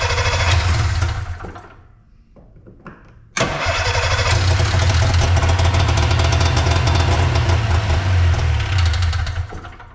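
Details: Arctic Cat Puma Deluxe 340 snowmobile sitting about 10 years, around 45°F, primed, choke on: short crank, pause, then longer steady churning crank about 210 a minute with no firing; cranks but won't start, cause unconfirmed.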